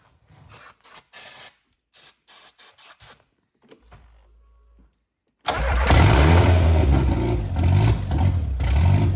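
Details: Audi 80 no-start, with 98 fuel and brake cleaner sprayed in: a few taps, then steady, even cranking that never catches. The injector gives no fuel; a missing spark is also being investigated, so the cause is unconfirmed.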